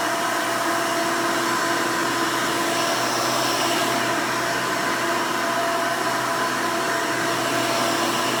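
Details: 1992 Hoover Elite II Total System Performance 650 U4689-910 upright vacuum, motor untouched since purchase: loud, even motor roar at one steady pitch, no rattles, surges or scraping; owner says it runs nice and smooth, normal running.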